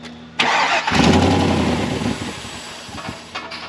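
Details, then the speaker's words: 2000 GMC Sierra, 6.0 LQ4 V8: cranks and catches, flares, then sags and stumbles as idle hunts and dies; it won't idle but runs clean above 2,000 rpm, cause not yet known. "So, what we have right now is it doesn't want to idle at all. If I rev it up, uh, it'll it'll stay running and actually runs really clean, like above 2,000 RPM, but it almost it just like hunts and then just like dies out, dies right off."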